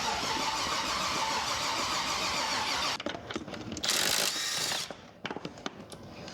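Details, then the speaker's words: Rebuilt junkyard GM 5.3 V8 just swapped into a Jeep XJ, on its first start attempt: starter spins for a few seconds but the engine never catches. No spark because the cam and crank sensor connectors were plugged in swapped. "sometimes yeah we put the [ __ ] crank on the cam and the on the crank yep yeah you don't get no spark if you ain't got no cam crank"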